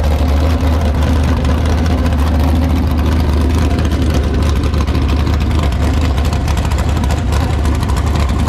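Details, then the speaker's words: Tatum sand car V8 with a big cam, deep loud steady rumble with a lumpy idle, even and strong. It sounds healthy. "sounds really really good when you hear this thing you can tell it's got a nice big fat cam very healthy"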